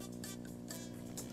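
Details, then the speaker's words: TL072 op amp powered by a poor supply with about 3 V ripple per rail, music passed through: steady low buzzy hum over faint music; poor power supply rejection lets mains ripple through. "wow listen to that hum the tl-072 has pretty horrible supply rejection because it's letting a lot of hum through"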